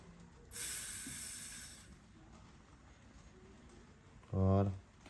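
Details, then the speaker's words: Hydraulic jack low on oil with air mixed in, after oil loss: bleed valve left open while refilling and pumping oil, a short hiss rising and fading as trapped air escapes, then a brief low burst; problem resolved. "Là, je laisse ouvert, je repompe à l'huile. Je laisse échapper l'air."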